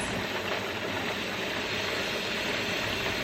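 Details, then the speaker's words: Pressure canner venting before the 10-minute timer, no pressure built yet and the petcock still open: steady rushing hiss, a constant stream rather than puffs, with no sputter; normal venting. "so this is coming out of here pretty good it's not like a puff of steam or anything anymore it's a constant stream"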